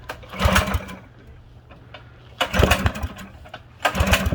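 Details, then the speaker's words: Used mini bike bought not running: three pull-start bursts that spin and die without catching, smoke and lots of fuel or oil from the exhaust; owner suspects a bent valve, not confirmed. "she gonna go oh my god the amount of fuel coming out of the exhaust stream"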